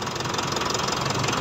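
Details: Mitsubishi Montero diesel idling after water pump replacement: short, even idle with its usual light clatter and steady rhythm; running normally.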